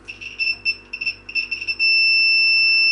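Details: Continuity tester on a Fender Stratocaster shielded with copper tape, checking grounding to the shield and a pot: high beep stutters, then holds steady as probes make solid contact; circuit connected.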